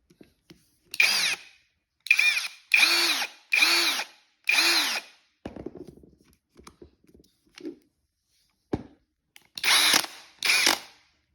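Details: Aldi Ferrex cordless drill in gear two: short bursts of spinning up with a coarse rattling buzz over the motor whine, from the gearbox.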